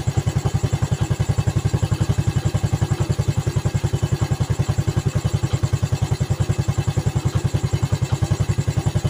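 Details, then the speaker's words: Yamaha Vega ZR single-cylinder after rebuild (valve guide, piston, camshaft work), idling after throttle blips: even knocking rattle about three to four times a second from the clutch area; owner suspects loose clutch housing or worn damper rubbers, not confirmed. "Bunyi kemeruyuk di area rumah kopling ini, kayaknya rumah koplingnya sudah oblak. Entah rumah kopling atau mungkin karet kampas gandanya yang udah pada oblak ini."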